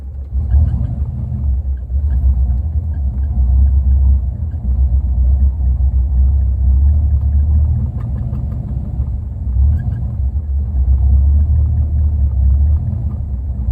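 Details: A deep, uneven idle rumble that lurches and wavers instead of holding steady; the engine is idling rough, cause not yet clear.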